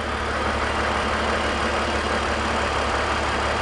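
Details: BMW E46 330i/325i after fixing a deliberate vacuum leak causing P0171/P0174 lean codes: steady even idle with a smooth low hum, no hiss, stumble or hunting; fuel trims returning normal, engine idles normally.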